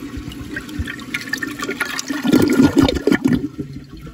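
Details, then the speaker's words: 1986 American Standard Cadet toilet, recorded close-up inside the bowl: strong rush and gurgle swirling down, tapering into refill trickle; clean, healthy flush. "so last but not least we're gonna do a close-up of the bowl weld pretty much inside the bowl so you can hear the flush because cadets from this era sound really nice"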